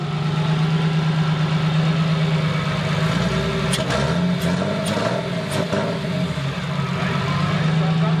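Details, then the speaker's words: Custom-built BMW M50B25 turbo double VANOS engine, first start, not warmed up and running very rich: steady, slightly lumpy idle with faint light ticking from solid (non-hydraulic) tappets, not very loud; runs fine. "Do you hear the light clicking noise? There are no hydraulic tappets. But the noise is not very loud."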